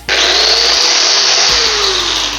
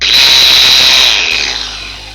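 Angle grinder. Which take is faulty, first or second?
second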